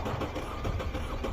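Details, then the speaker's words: 2013 Audi Q5 2.0 misfiring at idle with an injector connector unplugged during testing: low, lumpy throb with a beat that keeps dropping out; a dead cylinder. "that unevenness that's a dead cylinder I wonder if this will crank oh here you go listen to that that's a dead cylinder"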